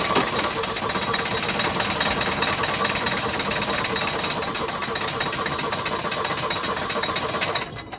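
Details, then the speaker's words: Volvo 242 recovered from the woods, first start on starting fluid with a hot coil and no lead to the points distributor: harsh, rapid, uneven jackhammer-like clatter as it catches. Very noisy crank pulley, and timing possibly too advanced. "That crank pulley is so damn noisy."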